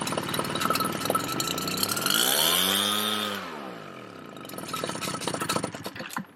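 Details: Redmax EBZ7500 backpack leaf blower two-stroke, cold start, before the carburetor was replaced; cleaning and sea foam failed: revs swell, sag and fade out, then sputter back; surges and keeps dying, fuel supply suspected.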